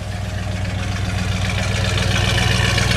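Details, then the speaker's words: Big-block Chevy V8 after carburetor cleaning, no throttle linkage hooked up: steady even idle, smooth low rumble, no misses; previously ran poorly. "Oh yeah, sounds a whole lot better. Before it sounded like it was getting an enema and it wasn't too happy about it."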